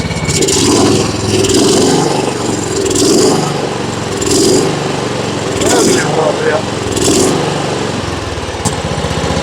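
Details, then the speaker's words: John Deere riding mower, Kohler Command engine, carburetor newly fitted: at higher throttle the note swells and sags about once a second; mild surging, owner suspects the jet may need opening up. "Surging a little bit there at the higher speed. Might could open that jet up or something."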